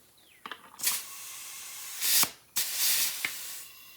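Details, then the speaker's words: 1955 Buick Special with 4.8 LS engine, pre-start oil priming: short sharp air hisses between pumps as the garden-sprayer tank is pressurized to about 20 psi; air leaking from the tank's side release button until it is set right. "sounds like it's leaking out the top on right let's see it's leaking out this button on the side it's a release button and I don't have it right let's try that"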